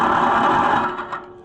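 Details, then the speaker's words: Oliver/Fiat 1250 tractor ("Franchesca") with a wrong starter test-fitted, mounted loosely: short harsh whirring winding down in under a second; turns engine over fine but sounds rough, pinion spacing suspected wrong, possible damage unchecked; cause not confirmed. "it turned it over fine it did not uh yeah we're we're going to have to do some homework here turning it over is not the problem"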